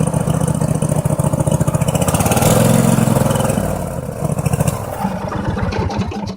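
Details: Truck engine struggles on the right-hand cylinder: lumpy, uneven beat with dropped pulses as it revs and settles; spark checked OK, owner plans to clean carb and check coils, cause unconfirmed.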